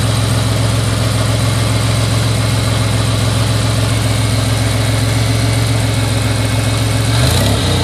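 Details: Buick Regal GSE, slightly warm: idle with a deep, uneven chug that stumbles now and then, a misfire; cause not confirmed.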